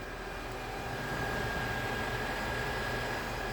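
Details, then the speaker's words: K24-swapped Honda CRX at key-on after base map install: steady rushing whir with faint constant high tone as the cooling fan kicks in, fan wiring correct, earlier fault was a software glitch; normal cooling fan operation. "I don't know if you guys can hear it coding fan is running awesome"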